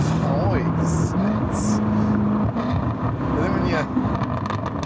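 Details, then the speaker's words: 2017 Jaguar F-Type SVR supercharged V8 with stock full titanium exhaust: deep V8 note stepping up in pitch as the gear drops, crisp crackle on top; healthy stock exhaust. "That exhaust note is so incredibly good. There's just nothing that really matches the sound of a V8 and then the sound of a supercharged V8. There's just nothing that compares to them."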